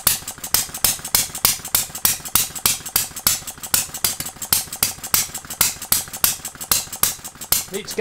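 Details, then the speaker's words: Farm Boy hit-and-miss model engine on its first successful run, after a Viton O-ring was fitted and ignition set just past TDC. Sharp, even pops with quiet coasting between; the governor lets it reach 650 rpm and fire at about 570: running properly. "let's get the governor going on it now i think so that gets it up to 650 and it fires when it gets down to about 570."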